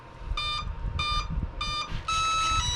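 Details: Tundra plane whose basic XT60 speed controller is powered by a Spektrum smart battery through its IC3 connector: three short high beeps about half a second apart, then a longer rising tone, the controller arming normally.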